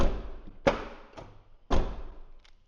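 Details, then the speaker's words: 2013 Ford F150 with 10-year-old RideTech air ride: electric door popper after reassembly, next day. Two firm thumps a second apart as latch releases and door opens; works every time, though it has failed repeatedly. "Works every time. Like I said, I don't know how many times I fixed it and it just does it again."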